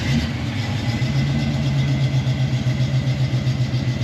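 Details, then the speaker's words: 1972 Camaro V8 after Aces EFI install: starts nicely and settles into a steady, even, smoothly lumpy idle with no misses, knocks or ticks; normal idle. "She starts up nicely. I think I like these Aces EFI system."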